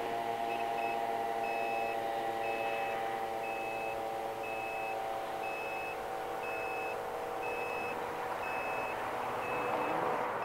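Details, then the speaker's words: Anatec Pack Boat Start'R bait boat remote control: short high beeps about three per second over outdoor noise, a normal low-battery warning because the remote's batteries were running out. "c'est pour ça que à quel moment vous entendez des petits bips bips bips bas c'est normal c'est parce que ma télécommande a eu plus de piles"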